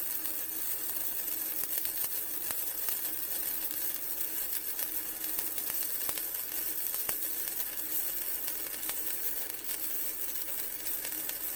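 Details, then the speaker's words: Vevor MIG 130 flux core welder raised to 55, flat bead: even, continuous crackling sizzle with fine regular pops and no sputtering; much better, though possibly too hot for a gapped butt weld. "all right that's a lot better now on something like a butt weld where I've got some Gap that might be too hot but for there that felt pretty good"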